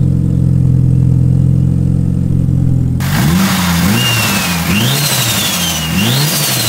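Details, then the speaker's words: Rebuilt 2.37 stroker 4G63T Mitsubishi Lancer Evo 5 warming up after first cold start: steady fast idle breaking into repeated sharp clean revs, no knocks or rattles; engine quiet and healthy. "today rego de veau is finally running off through all that work and it's sounding absolutely amazing the engine is quiet as a mass"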